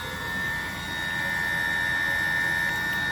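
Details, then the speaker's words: Diesel-fired coolant heater for garage floor PEX loop, short-cycling at low temperature: after burner shutdown, steady fan whine with thin high tone and no combustion roar as it purges the chamber; owner suspects heater fault, unconfirmed. "before it shut off and then went through a cycle and restarted and it's and it's cooling as you can see here it's almost back down to 20 now so it's been just clearing the chamber"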